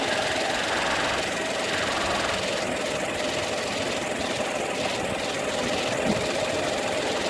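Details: Peugeot 308 II engine running with irregular light ticking knock over a steady hum from the front end; faulty air-conditioning compressor suspected as the source.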